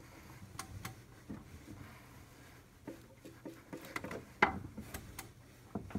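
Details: 2007 Audi A6 Allroad 3.2 FSI (BKH), bank 2 new upper timing chain tensioner, hand-cranked one revolution: scattered light ticks and three sharp clicks as tensioner piston releases chain tension; owner unsure if normal.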